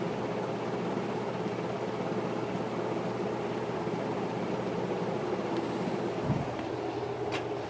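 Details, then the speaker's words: Two-speed antique Century ceiling fan with a shaded-pole motor, its broken part repaired with Gorilla Glue, at full speed on high: constant low hum, faint steady tone, no scrape or wobble; moving huge air, drawing 3.42 A, 216 W; running healthy. "the amount of air this thing is moving is absolutely insane I have never seen a ceiling fan that's this powerful before"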